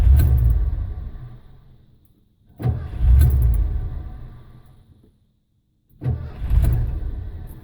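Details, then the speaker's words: 1989 Ford F-150 5.0 liter with a worsening no-start: three tries about three seconds apart, each catching with a low rumble then fading and dying; runs slightly with throttle but won't stay running. "won't start this is what it's doing see if you can help me figure it out so it kind of starts but it won't keep running"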